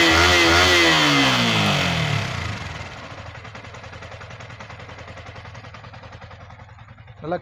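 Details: Yamaha R15 V3 engine blips high, then revs fall away smoothly into an even, steady idle with no clatter; normal engine running.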